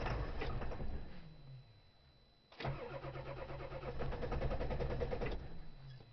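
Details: Diesel cold start at about 20°F after glow plugs, fourth attempt: uneven bursts of cranking, stopping and retrying with smoke, but it never catches; worse than the previous day, block heater to be tried next.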